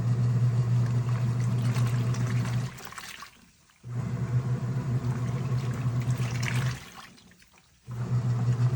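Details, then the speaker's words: Krib Bling full-automatic portable washing machine filling at the 7-liter water level setting (8 L maximum): steady low hum with rushing water in bursts, cutting out twice for about a second; normal fill. "Okay, add the water. I can pause anytime. It's very easy, and I can adjust the water level. 8 liters is the highest one, so I chose 7 liter for so much clothes."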